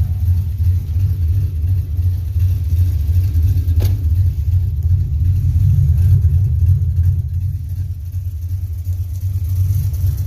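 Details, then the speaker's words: SN95 with aftermarket cam, heard from outside at idle: deep, uneven loping idle, about three pulses a second rising and falling, the cam lope. "I mean, my dash pod's trashed. But listen to that cam load."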